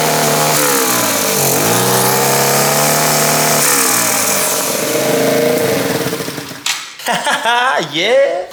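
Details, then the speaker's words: 125cc air-cooled fuel-injected turbo go-kart engine, first start with boost, about 7 psi (over half a bar) free-revving, not yet properly tuned: revs sweep up and down sharply and stumble near the top; breaking up under boost, tune unfinished. "we are making about 7 lb of boost just on idle and riving it which is crazy and it's not even properly tuned yet you can hear it's like breaking up there not quite wher"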